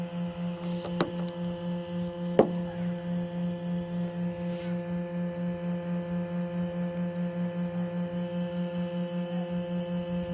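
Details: H11 LED headlight bulb: steady low hum with a fast, even pulse and thin higher tones of constant pitch; the bulb's cooling fan runs loudly, and the bulb also has a vibration problem.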